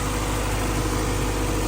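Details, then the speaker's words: 1990 Honda CRX with B18C5 engine, just after a cylinder head refresh with three-angle valve job and new thermostat, briefly missed while fuel primed: now a steady, even, smooth idle, no smoke, before warming up. "sounds good it's not smoking is it we'll let it warm up"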